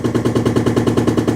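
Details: Cottage composting toilet flushed by pushing down the lever: rapid, hard hammering in the water lines, about nine bangs a second with a hollow tone, and it stops when the kitchen or bathroom sink is turned on. Cause suspected, not confirmed.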